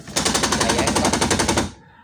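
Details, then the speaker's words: Car power window, when raised to the top, makes fast even clacking about ten per second then stops: window regulator gear skipping at top of travel. "tiba-tiba bko otomatis power window saya ini saat dinaikkan up di atas nanti ada suara katak rangrang iya coba ya Iya"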